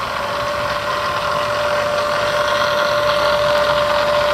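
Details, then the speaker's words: Bridgeport 2 HP vertical milling machine with variable-speed head, running in low range: steady whine with faint quick gear chatter in the head, blamed on gears improperly adjusted by a previous repairer; called harmless. "So first we're going to start it in low so you guys can hear the little bit of gear chatter I was talking about."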